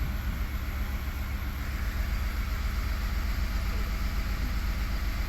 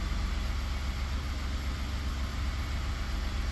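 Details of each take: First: 2019 Ford F150 3.5-liter V6 idling on port fuel injection only: uneven stumbling and skipping, code P0304 cylinder 4 misfire; runs smooth on direct injection only, so the cylinder 4 port injector is likely leaking; coil and plug already tried. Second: 2019 Ford F150 3.5 V6 with a P0304 cylinder 4 misfire, running on direct injection only: smooth, even idle with no skips, while port injection only runs terribly, pointing to the cylinder 4 port injector.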